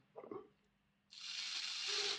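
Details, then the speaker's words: Lima Class 31 model locomotive motor bogie, dismantled before overhaul, very dry and dirty, run on a battery: thin high-pitched screech over a light whirr as the motor spins up; needs cleaning and lubrication. "Yeah, it goes. A bit screechy. So we'll take this apart, clean it up, lubricate it, all the usual business."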